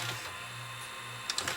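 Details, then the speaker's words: Toshiba Betamax VCR, about 40 years old, after gluing a part back on in the transport: a faint, steady low motor hum with a few light mechanical clicks as the tape runs evenly in forward search, now working. "But there it is. It's working. Forward search is working."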